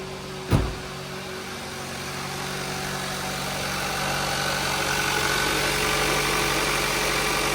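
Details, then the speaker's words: Kia Rio (2012–2017) 1.6L freshly installed engine, right after first start: steady, even idle that builds slightly as it smooths out; may run a bit rough while oil and fuel circulate, but this one is okay. "Oh, okay, that fired right up. It's always a good sign."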